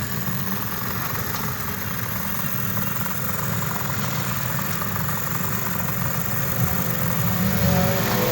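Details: Honda CD 70, 2023 model, after a head rebuild to cure tappet noise, with new parts and Atlas Honda oil: a steady, even single-cylinder idle at about four beats a second with no tappet ticking. Normal idle after the repair.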